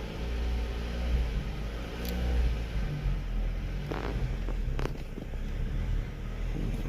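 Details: Mazda 3 that stumbled and stalled at revs. The low rumbling engine surges and sags unevenly; the cause was a broken coolant temperature sensor making the ECU think the engine is cold or hot.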